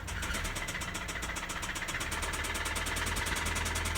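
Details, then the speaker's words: Auction car that had been sitting, started with a jump box: quick light ticking about four a second over an unsteady, lumpy idle; top-end tapping and rough running, cause not found. "yeah it's Tippy tapping see what it is well it is tapping not what you hope for"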